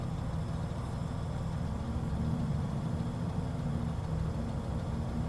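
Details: Drift car engine at idle: low, lumpy idle with an uneven exhaust beat and irregular stumbles; the engine is misfiring at low revs.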